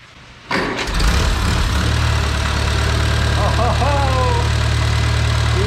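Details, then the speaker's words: Farmall Cub after fitting a new carburetor and in-line fuel filter: cranks, catches within a second and settles into a smooth, even low idle with a steady beat, no stumbling or smoke; old carb needed choke fiddling, normal idle. "turning man that sounds good wow it wouldn't even run right with the other carburetor unless I sat there and played with the choke lever she's not smoking or anything that's fantastic"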